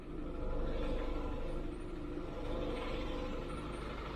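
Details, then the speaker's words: 1995 Range Rover Classic 300Tdi diesel idling while the power steering is bled after a steering box replacement. A steady low rumble with no knocks or misses: healthy idle. The pump is getting quieter as fluid nears the right level; a big leak is noted underneath. "Pump's going quieter. As if you could fucking hear it."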